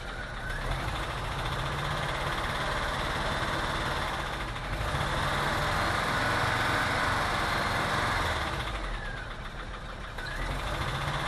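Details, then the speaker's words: VW T3 2.1L flat-four while driving: rough, lumpy running with the beat stumbling every few seconds and backfire pops; number two cylinder ran lean. "good a belt noise ruff running in this firing while driving you can hear it backfiring"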